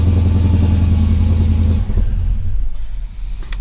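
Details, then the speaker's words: 1968 Dodge Charger with Hellcat swap after wiring/module fixes, keyless start; deep, even rumble on all cylinders for a couple of seconds, then clean shutdown: normal idle. "But at least the engine starts, it turns off, the keyless works, and the engine's running on all cylinders."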